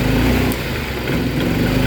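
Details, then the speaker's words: Yamaha Mio M3 scooter: idles at low rpm but bogs, stutters and has no power when throttle is opened; fuel spray from the injector found weak, ultimately traced to a faulty ECU. "nah pada saat dia start di RPM bawah dia langsam ya teman-teman dia stasioner akan tetapi begitu saya tarik gas dia akan ngempos berebet ya teman-teman ngempos tidak bertenaga"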